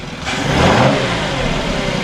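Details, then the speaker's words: 2006 VW Passat, bought with a low oil pressure light and suspected timing chains, revved after repair: a clean rev up and settle back, smooth and even, with no rattles, knocks or the earlier loud noises. Normal revving. "Okay guys, she's idling perfect, and we're gonna give it some gas and show you that it's not making the noises it was making before, the loud ones."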